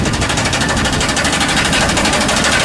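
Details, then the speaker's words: High-mileage (about 323,000) Chevy Silverado 2500HD, gas 6.0 LS, automatic, check engine light on: rapid harsh metallic machine-gun banging over running engine; flex plate suspected, not confirmed. "that sounds horrible let's get this thing in the shop figure out what's going on with this thing so my guess is that this needs a flywheel flex plate not a flywheel it's a flex plate"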